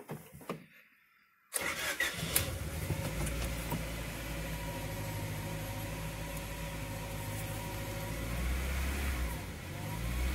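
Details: 2000 Honda Prelude SH H22, right after a cold start: idle rises and falls in slow waves about every two seconds instead of holding steady, a problem of six months; before the fix.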